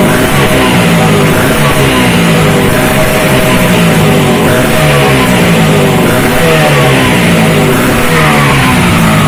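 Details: Vespa racing two-stroke project engine with a direct-mounted reed intake, repaired crankcase inlet, uprated clutch spring and SRP competition exhaust, fresh rebuild: loud, buzzy revving, hard and even, with no knocks or misfires; running healthy.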